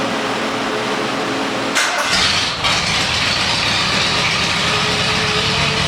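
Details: 1979 Lincoln Continental Mark V Bill Blass edition, about 49,000 original miles, sat 8 years, new AGM battery: starter catches at about two seconds and settles into a steady, even idle, no knocks or misses; healthy cold start.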